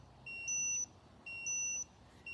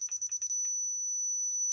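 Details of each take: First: Laser level paired with a Dovoh DR1 receiver gives sharp high beeps in short bursts about once a second. This is its out-of-level warning while still tilted, and it stops once the unit is levelled. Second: Dovoh DR1 laser level receiver: quick high beeps as it detects the line and signals to move down, then one steady solid tone when right on grade in the middle. The receiver is very sensitive.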